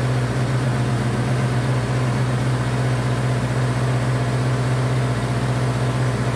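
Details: Honda CB500 four-cylinder, first start after an attempted liquid engine rebuild, choke on, running on all four: steady fast idle with an even low hum and no dips, around 2,000 rpm or a little over; idle is too high, cause not confirmed.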